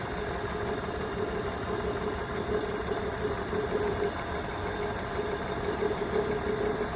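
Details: BMW petrol engine idling with an uneven, stumbling beat; diagnosis shows a misfire on cylinder 2.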